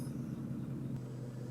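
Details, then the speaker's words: Toyota Camry after battery disconnect and idle relearn, stopping after a drive: steady even hum, no dips or hunting; before the reset it barely idled and died at stops, now smooth as silk. "as you recall before i did the reset and stopped the car barely idled and then died and here we are stopping smooth as silk"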